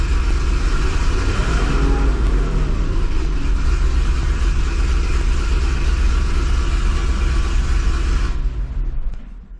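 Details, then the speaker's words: 2005 Chevy Corvette V8 with headers, first start after welding new V-band flanges and replacing the driver-side exhaust manifold gasket. Deep steady idle, loud exhaust, no obvious ticking or puffing. Some leak may remain, possibly passenger side. "first startup that actually went pretty well it fired up right away um it seemed like some of the exhaust leak was gone there still might be a little bit there"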